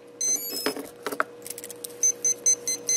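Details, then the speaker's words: AirCore plane power core converted to HobbyKing R415 receiver with Spektrum radio, throttle trim centered: after plug-in, rapid high beeps about twice a second; ESC won't arm, throttle not at minimum, fixed by trimming throttle negative. "now hear that rapid beeping now even though my throttle trim is centered my throttle is down it's it's complaining"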